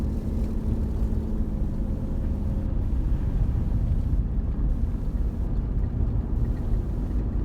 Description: 2006 3.7l jeep commander started squeeing noise and rumbling when accelerating.